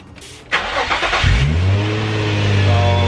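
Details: Infiniti G35 V6 after replacing ignition coils and spark plugs for P0304 cylinder 4 misfire: starter catches cleanly, settles straight into smooth steady idle with no stumble; normal start and idle.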